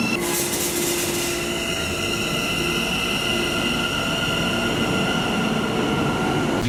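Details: Modern UK IGBT traction inverter, as on 2009 stock and Electrostar units: a steady high electric whine held on one fixed carrier frequency under rail rumble; normal.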